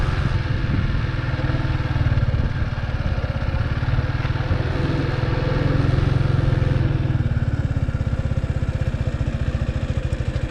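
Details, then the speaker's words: Big Boy Superlite 200cc manual single in first gear, no throttle, with the clutch being let out. The even, low idle-speed thump turns slightly muffled and lower-revving than in neutral. Healthy; normal engine note. "every time i let go of the clutch the rev sounds change to a bit more uh i would say muffled sound uh it's not as higher revs as before with using neutral"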